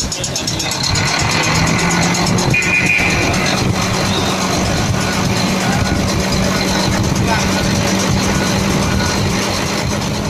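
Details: Volvo FM 370 truck, Volvo D11 diesel, long parked and crank-no-start, restarted after bleeding air from the fuel system and tightening the overflow valve to about 50 Nm; fires and settles into a steady, even idle, no misses or knocks, normal running.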